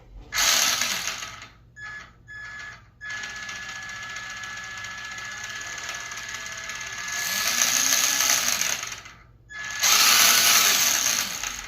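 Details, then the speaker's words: RC car rear end spun up after new bearings and replaced steering servo: high-pitched gear whir with gritty clicking chatter that comes and goes with throttle bursts; owner unsure whether rear end or gears, abnormal gear noise. "Don't know what the clicking noise is. Maybe the rear end. Maybe my gears. I don't know."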